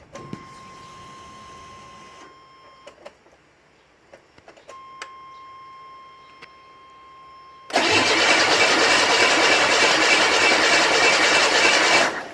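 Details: Buick Grand National with SD2 chip on E85, no mass airflow sensor, throttle position sensor set to 0.42, oil pressure built to about 80 psi: long quiet spell, then steady even cranking about 200 beats a minute for four seconds, never catches; no-spark suspected, not confirmed.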